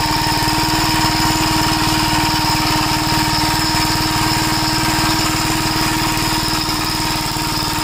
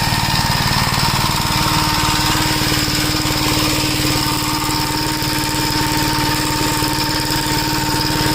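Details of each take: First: 1961 Gravely Model L tractor single-cylinder engine thumps steadily at about four beats a second with a ragged edge. Popping persists despite richening the carburetor, which acts lean and leaks fuel from the inlet, with the float suspected. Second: 1961 Gravely Model L tractor on a test drive after carburetor repair and richening: single-cylinder engine chugs at a steady speed with no hunting or surging, and the newly hooked-up governor holds revs properly.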